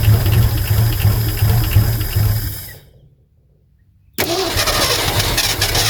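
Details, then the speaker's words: 1972 Ford F350 Custom abandoned one-owner truck, big-block V8, four-speed, cranking with choke partly opened: steady chug with near-catches, dies off, cranks again. Nearly fires but won't run; fuel starved. "Oh, it's so close. Oh, it's so close. It's wanting to come on."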